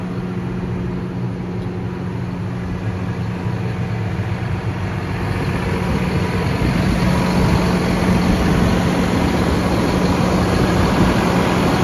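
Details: 2017 John Deere 6215R TLS tractor, 6.8 L six-cylinder 215 hp diesel, 5056 engine hours, DirectDrive 24/24 transmission: smooth even drone with a steady low hum and regular, unfaltering beat; healthy normal idle.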